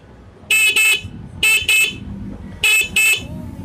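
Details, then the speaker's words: GL Pro motorcycle horn after installing a horn relay, fed directly from battery positive with a body ground so it sounds louder. Three pairs of sharp, loud, steady high-pitched toots with no crackle; the horn works properly. "gimana guys suaranya langsung Teteh gitu ya kenceng ya suaranya ya"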